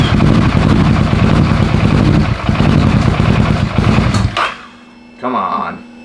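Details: 600cc crosskart on its first drive after three years of build, new chain tensioner and clutch fitted; loud crackling sport-bike engine pulls strongly and evenly for four seconds then drops away, fires and runs healthy.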